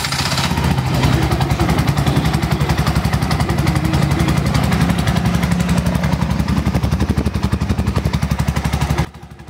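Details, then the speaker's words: Bajaj RE single-cylinder after starter repair, having failed to start despite new carbon brushes: quick crank then an even, steady idle; starter and engine sound healthy. "yan Mga boss idol so napaka smooth po ng pag-start niya at goods na goods na ulit yung kanyang starter"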